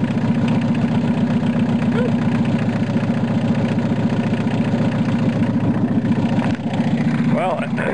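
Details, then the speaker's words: VW Rabbit long sat unused; it first raced wide open, then idled down after the cold start knob was pushed in and out. Now a steady, low, even idle pulse around four beats a second, no racing. Normal idle. "I got her to idle down at least. Um, what I ended up doing was fiddling with the uh the cold start deal."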